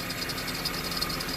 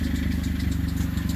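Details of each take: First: Honda CR-V after the separated cat-to-muffler exhaust flange was repaired with a split flange. A quiet, steady idle with only a soft hiss and no puffing or ticking; the exhaust is sealed and the engine runs normally. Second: Honda CR-V with exhaust noise, engine idled and revved. A fast, even puffing chuff under the exhaust note from the pipe separated after the cat at the cat-to-muffler flange, with three rotted bolts; a light belt-tensioner squeak on top.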